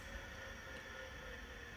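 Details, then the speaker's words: 1987 Apple Macintosh II hard drive after soft-power shutdown: faint, steady high whine with softer midrange tone over quiet hiss, still turning long after shutdown before stopping; slow spin-down, cause not confirmed. "still spinning down still going still going and still going it's still spinning and it just stopped"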